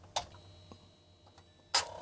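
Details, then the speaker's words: Norwegian 1980s TIKI 100 8-bit computer, untested: floppy drive head seeks but disk won't load. Two sharp clicks about 1.5 s apart with faint ticks; fault could be drive or floppy controller, possibly bad capacitors, suspected not confirmed. "Yeah, you see it moved, but it's not loading. Well, it has a fault. It could be the drive."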